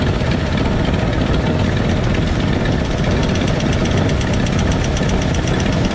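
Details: 1968 Ford F100 V8 running loud and rough with the valve cover off: fast, light metallic clacking over the top as rockers are loosened until they clack during valve adjustment; valve train clatter from loose rocker adjustment.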